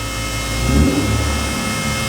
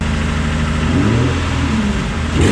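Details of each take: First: Nissan 350Z twin turbo held against the handbrake in second gear, rev limit set at 5,000 rpm: deep roar swells with a rising turbo whistle and a blow-off sound; now making boost properly. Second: Nissan 350Z with homemade twin turbo setup, under load on test: revs climb twice, loud and raspy, no spool or whistle; zero boost, exhaust escaping through wastegates seen stuck open.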